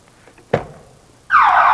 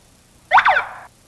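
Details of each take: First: Code Alarm all-in-one car alarm test: the system is armed by remote, then a door is opened, and right after a door thump a loud warbling siren rises and falls steadily, showing the alarm trips correctly. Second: Code Alarm car security system: a single short electronic chirp confirms programming mode, entered by holding remote button 1 past three chirps for another 4 seconds, to change sensitivity.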